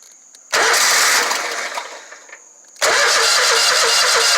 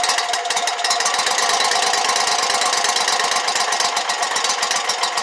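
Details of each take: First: Exmark Lazer Z 72-inch mower, about one-year-old Kawasaki FX1000V engine: starter turns it over in two long bursts but it never catches; crank no start, fuel shutoff solenoid not getting power. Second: Exmark Lazer Z 72-inch commercial mower with a no-start, fuel refilling the carburetor: rapid, steady starter cranking with fast ticking rhythm, then winds down without catching yet; normal cranking.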